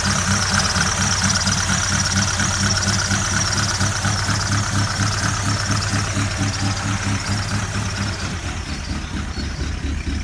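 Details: Ford Galaxy at idle: steady clacking knock about two per second over the engine running sound; cause undetermined.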